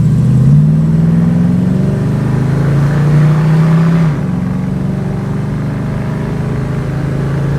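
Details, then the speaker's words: 1968 Ford Mustang on a pre-purchase inspection test drive, accelerating hard in Drive: strong, clean engine note climbs, drops at a gear change, then pulls evenly again; no misfires, hesitation or lack of power, healthy. "you can see there's no issues with the performance that in here any misfires or lack of power at all"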